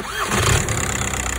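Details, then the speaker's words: VW Passat that would not crank, battery about 12.2 V, starter getting no activation signal: with the starter bridged by a temporary cable, a brief starter whir, then the engine catches and settles into an even idle. "So überbrückt man den Anlasser und der Motor springt an. Das heißt, die Anlasseranstörung ist nicht gegeben."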